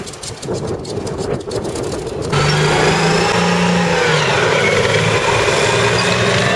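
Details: CVR(T) Striker FV102 Swingfire tank engine idling ragged and uneven, lumpy beat dropping out every few firings; misfiring badly from a stuck valve, later fixed by fitting a replacement engine.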